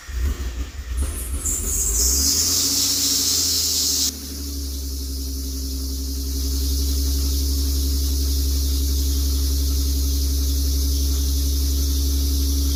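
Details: 1991 Nissan 300ZX twin turbo, first start after installing 550cc injectors, new NGK iridium plugs, fuel filter, gaskets, hoses and oil change, fuel system primed: starter whirr, brief high squeal on firing, then steady deep idle settling smoothly; healthy.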